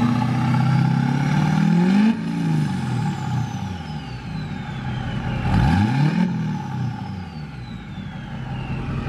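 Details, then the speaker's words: Diesel pickup with Duramax: revs climb slowly and lazily before dropping back to a rough idle with ticking; slow rev response, injector issue suspected, balance rates fine, rail pressure reached 20,000-21,000 PSI. "even like right now when I rev it up it's a very slow rev like my my like my wife's truck you barely tap it's like woo you know like this one not so much"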